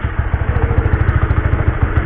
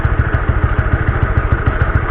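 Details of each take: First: Honda CB150R idling in gear after an experimental rubber fix for noisy drive chain, mic held near the chain: steady single-cylinder thump, even and clean, no chain slap or rattle; normal idle, quiet chain. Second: Honda CB150R: rough, rattly drive chain clatter over a steady low engine thump, before cleaning the dirty stock sprocket/chain; cause suspected, not confirmed.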